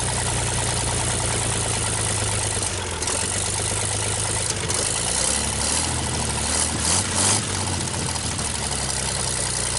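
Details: 1960 GMC 305 cu in V6 at first start after manifold work, cold engine: steady, even low rumble at idle with no misses or knocks and no smoke; runs smoothly, healthy idle. Owner notes it probably needs a front seal.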